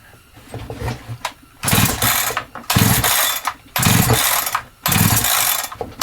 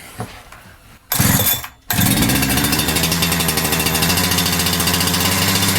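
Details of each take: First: Holzfforma G372XP chainsaw that never ran right since new, pulled with decompression lever and choke: rasping pull-start strokes never catch, too weak to push the decompression valve out; no start. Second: Holzfforma G372XP chainsaw (Husqvarna 372XP clone), first start after a new carburetor was fitted and the low and high jets were set: catches after a couple of blips and holds a steady, rapid two-stroke buzz, running normally. Fuel pickup tube found too short.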